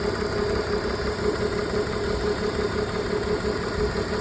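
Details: BMW E46 with check engine light on: lumpy, uneven idle with a periodic stumble about twice a second; a misfire at idle.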